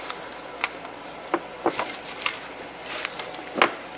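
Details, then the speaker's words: 2013 Hyundai Sonata with front-end rattle, driver's side sway bar pulled by hand from underneath: scattered sharp clicks and knocks with each pull; play in a worn, loose sway bar end link joint causing the clunk. "hear that that play is coming from one of these joints on this sway bar end link"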